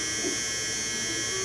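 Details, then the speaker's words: BMW R1200GS, key on, rear brake pedal touched during an ABS brake bleed without a scan tool: short, even, high electric buzz from the ABS pump with no stumbles or grinding; normal ABS pump operation. "when I touch the rear brake pedal we should hear the ABS pump run that's all I want to do is just touch it until it runs"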